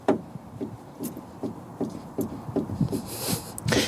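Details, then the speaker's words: Porsche 986 Boxster, warmed up after a drive, track rod rocked by hand: dull even knocks from a worn inner tie rod joint at the steering rack end; noise absent when cold, both sides; likely also causes steering vibration. "now Peter found the source of the fight I think there's a knuckle joint in here in the steering column on the end of the steering rack and this if you move it up and down as a similar matter movement and noise"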